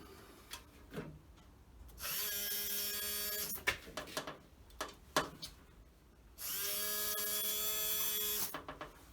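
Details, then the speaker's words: Land Rover Series 2A screen wash pump, not working before repair, bench-tested off the vehicle by touching positive lead; two short bursts of steady small-motor whine starting and stopping cleanly, no grinding or stutter, normal pump motor running. "and then if i just give it a touch with the positive sounds good"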